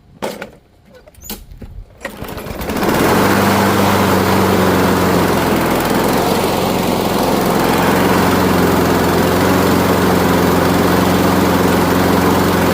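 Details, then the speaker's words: Craftsman Gold mower, Briggs Quantum 6.75 engine, low on fuel: a couple of pulls, starts, runs slow briefly then comes up to speed; steady even drone, no misses or surging; choke working, healthy. "So it started up, it ran slow for a little bit, and then came right up to speed."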